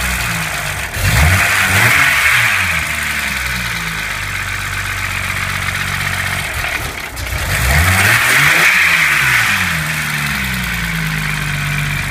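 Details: BMW M20B25 inline-six after intermediate shaft repair: even, smooth idle rising cleanly through two throttle blips and settling back with no knocks or ticks. Normal idle and revving.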